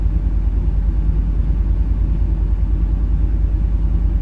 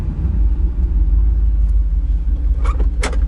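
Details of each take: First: Truck V8: deep, even exhaust pulse with a steady beat and no stumble or skipped firing. It is running clean on all eight cylinders after earlier running on seven. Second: Pickup truck V8, cold start: deep uneven idle rumble with irregular stumble every half second, running on seven cylinders, shaking the transmission; owner attributes it to being cold and expects it to clear when warm.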